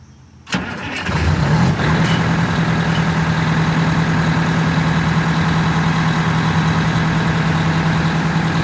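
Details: Detroit Diesel 8V92TA in a Wanderlodge after blower oil-leak repair and radiator hose clamp tightened: cranks and catches within a second, then steady even idle with low drone, no knocks; normal start and idle.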